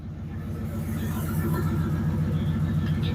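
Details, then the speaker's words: 1996 Ford F150 parked in a barn, where rodents chewed the injector wires under the air plenum: low idle rumble with an uneven, lumpy beat about three to four per second; misfire from the chewed injector wiring, pigtails to be replaced. "okay as you can hear it's running a little bit off uh being up here in the barn it parked up here and rodents got in and chewed injector wies so today we'll be changing out injector wires"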